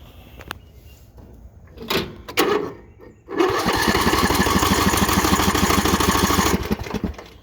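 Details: Troy-Bilt Pony mower shut off after refuel from a gas can kept in a shed, water in the fuel; starter churns steadily about three pulses a second but never catches; cranks but won't start.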